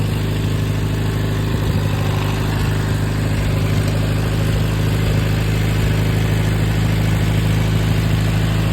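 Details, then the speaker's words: Farmall 230 petrol tractor, first start in many years, converted 6V to 12V: runs fast and steady at a raised idle that never drops. High idle; carburetor not yet adjusted, owner suspects throttle shaft slop in carburetor. "I ain't touched the CRA yet it ain't iding down like it's supposed to"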